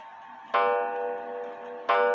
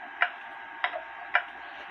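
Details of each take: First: H.Th. Mylius German regulator wall clock, date unknown (guessed 1920s/30s), repaired after falling, put back in beat: seven clear, ringing gong strokes about a second and a half apart, each decaying evenly; a clean, healthy hour strike. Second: H.Th. Mylius German regulator wall clock, owner guesses 1920s/30s, after repair from a fall, pendulum just hung after setting the crutch: sharp ticks alternate long and short gaps instead of an even tick-tock, so the clock is out of beat and needs adjusting.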